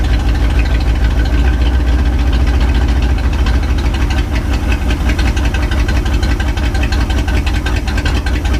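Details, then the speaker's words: 1967 Chevy C10, 327 V8, 11,200 miles, first run in 33 years after fuel system work, no exhaust: loud, deep, slightly lumpy steady idle, no misses; normal idle. "she's running boys nothing's on fire the guy no exhaust so sounds a little loud"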